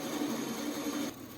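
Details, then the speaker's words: Restored 1950s Craftsman bandsaw at its first power-up after belt conditioning and blade tracking: smooth, even motor hum with a light whir, then it shuts off; runs cleanly without rubbing or thumping. "all right here we are with the inaugural band saw fire up looks like it's going pretty"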